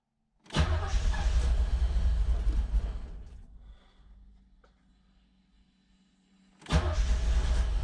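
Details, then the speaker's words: 1986 Chevrolet Corvette C4 Z51 V8, manual, first start after over 20 years in storage, oil pressure good: cranks and catches twice, uneven lumpy beat before dying; rough, misfiring start, cause not confirmed. "thing sounds terrible all pressure is good sounds terrible"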